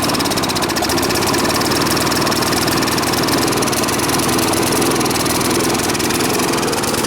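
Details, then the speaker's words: Briggs & Stratton push mower that smoked and sputtered, oil overfilled, run at fast idle with the air cleaner off: loud, lumpy, stumbling chugging that worsened when the intake was covered. Running rich. "But you notice as I was covering the air cleaner hole, the intake of the carb, it was actually getting worse. So that was kind of telling you that it's getting too much fuel."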